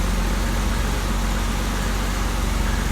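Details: 1990 BMW 325i (E30) cold idle moments after first start following timing belt, water pump and seal work; low, even idle with smooth steady beat, no hunting or surging: normal cold idle.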